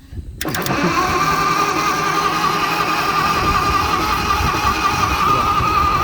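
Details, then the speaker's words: Propane-converted flathead Ford in an old Motowlift forklift, run on 12 volts: steady cranking churn with constant starter whine, no firing; no spark because the distributor button wasn't contacting the coil post; fixing that gave spark and it started. "I think the distributor button was just not making contact with the center, the coil post in my new port. So I think that was the problem all along."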